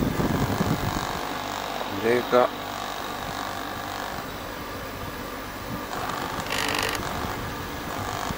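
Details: Corona CD-6311 dehumidifier after disassembly and cleaning of a moldy fan: a steady low fan hum with an uneven buzzing chatter. A loose internal part was vibrating against the housing and was then secured.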